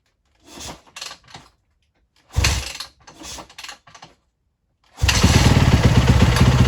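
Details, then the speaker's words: Rebuilt Yamaha YZ450F after raising carb needle one notch with OEM needle, cured running hot: a few kicks then fires and settles into crisp even thump with no misfire or stumble; running properly. "And it's running like a treat. So that cured it. It's not getting hot anymore."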